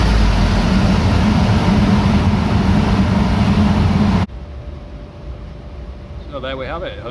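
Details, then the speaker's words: VW Mk2 Golf GTI 1.8 16-valve with bike carb conversion, 140 main jets, warmed up on dyno: strong even full-throttle drone for four seconds then clean cut to quiet; healthy, 151 hp. "well 151 horsepower from the 1.8 16 valve nice result"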